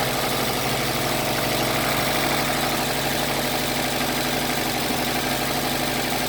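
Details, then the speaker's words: 2009 Subaru WRX hatchback, brand-new EJ255 long block with about 11,000 miles, cold start: idle with a light, quick tapping about three per second; owner suspects rod knock or rod bearing issue. "all right I need you guys help me decipher whether this is a rod knock or rod bearing issue"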